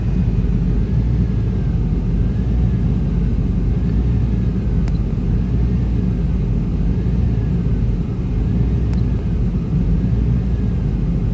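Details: 1995 Chevy Tahoe K-series 5.7L V8 rough idle: low rumble with faint unevenness; scan shows throttle position sensor not communicating, truck won't shift, TPS replaced twice; owner suspects wiring; smoke seen near passenger-side headers.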